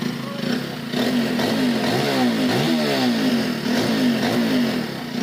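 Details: Hero Glamour motorcycle after replacing the failed timing chain adjuster with a genuine Hero part: engine idles and revs up and down smoothly with no chain rattle.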